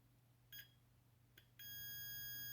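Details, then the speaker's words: Continuity test on a gas valve circuit board pin of a Carrier Weathermaker gas furnace with an intermittent fault: no tone on a light touch, then two chirps and a one-second tone only when pressed, from a cracked solder joint. "Now I'm touching it right now, but it's not making any sound."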